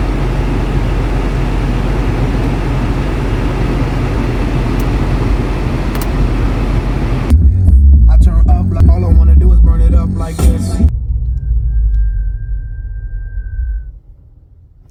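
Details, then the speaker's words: Used BMW M5 from dealer: each heavy bass thump brings a buzzy crackling rattle, something loose vibrating with the sound system, exact spot unclear; owner also reports A/C crackling and popping behind the dash. "Um the sound system had a really crazy rattle and the air conditioning whenever you turned it on, it would literally like just crackle and pop behind the dash."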